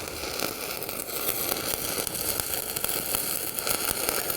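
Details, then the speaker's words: Arccaptain 200A AC/DC TIG welder stick welding 3/32 7018 rod at the same setting as 1/8 inch 6010; even, steady frying crackle with no pops or stutters, arc burning smoothly and consistently. "So let's see what the 7018 does. Maybe. Okay, that's running that pretty good."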